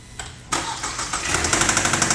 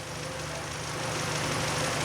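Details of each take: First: 2012 Kia K5 2.0 gasoline, 100,000 km, towed in and stalling after starting: loud hard tapping about three beats a second over rough idle; scanner shows timing-related codes (chain/crankshaft), oil/lubrication problem suspected. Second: 2012 K5 2.0 gasoline, 100,000 km, after repair: damaged metal bearings from lubrication failure fixed and oil pump replaced; steady, even idle with no ticking or knocking, timing code cleared, idle within normal range.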